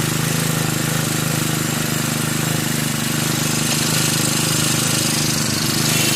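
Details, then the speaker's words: Brand-new Turbotech SD T35 4S four-stroke brush cutter, bought two days earlier and would not start; shorted ignition coil replaced, 100 ml 20W-40 oil: now runs at fast idle with even quick firing, no misses. "दोस्तों जैसा कि आपने देखा इस machine का ignition coil short कर गया था मैं मैंने न्यू इग्निशन कॉइल इस मशीन में लगाया और मशीन स्टार्ट हो गया"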